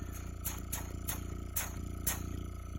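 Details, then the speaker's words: Vintage Frigidaire Meter Miser fridge compressor, probably 1960s–70s, first start in 20–30 years after sitting on a porch, drawing 2.1 amps: low mains hum with uneven raspy surges about twice a second; pumping but running rough, improving as it runs, oil level unknown. "it's actually sounding better than what it did Sam now that it's ran a little bit but it's in pretty rough shape even though it was under a porch for years"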